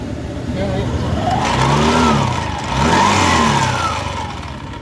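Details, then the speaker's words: Honda Beat FI (eSP) whose rear wheel won't turn when ridden though the V-belt isn't broken: engine revved twice, rough scraping/grinding from the rear pulley or final gear (ratio) area, and the rear wheel turns slowly when throttled. "yang pertama itu ada suara ngorosok ya yang pertama tuh yang kedua jadi bilaana kita gasnya ditarik si roda belakang dia mutarnya lambat ya"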